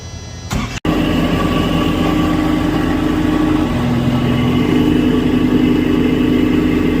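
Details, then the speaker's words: Reefer unit electric fan motor starts and settles into a steady hum with a droning tone on top; fan motor bearing noise. "cane this is the one uh making noise the bearing is uh Electric Fun motor"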